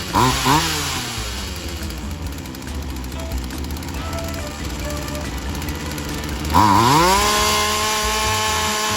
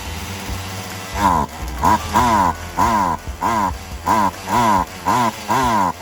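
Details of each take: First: Polen Wild Thing 2375 chainsaw, a small two-stroke, after new fuel lines, primer bulb and cleaning: it revs, settles to a steady buzzing idle and revs cleanly again, running hot with the throttle raised; any bogging means it still needs adjustment. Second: Poulan Wild Thing 2375 chainsaw after replacing gas lines and primer bulb, throttle raised to keep it running: revs rise then sag about twice a second and it runs hot. Carb high/low mixture still needs adjusting. Bogging, carburetor mixture out of adjustment.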